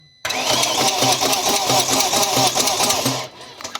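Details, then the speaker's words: 2001 BMW E39 540i V8, non-running, cranking: rhythmic rattle about twice a second, never catches; cam chain loose but noise not in time with it, possibly valve or lifters drained of oil after sitting; source unclear. "no i mean it's definitely loose but it's not it's not a problem it's not in time with the chain moving the chains not moving very quick it might be a problem with a valve"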